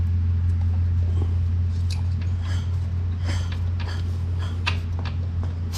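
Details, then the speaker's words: Icebear Maddog 150 Gen IV GY6 scooter that cranks but won't start, thumb-over-spark-plug-hole check: engine spins with a strong puff about four times a second over steady starter drone; compression judged enough, spark checked next. "it does it blows my thumb off so if it'll blow your finger off that hole on the spark plug then that's enough compression"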